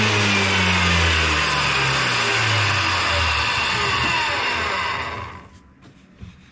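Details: Wood planer after replacing its broken drive sprocket, with old, worn blades (a new set is planned): a steady, even cutter hum with a smooth feed through the board that dies away cleanly. Normal planing cut.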